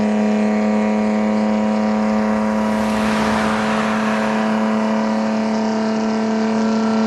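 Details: Chevrolet D60 truck with Detroit Diesel 4-53N two-stroke at its 3,000 km service: deep, steady drone with a blower whine that swells and eases in pitch; healthy running.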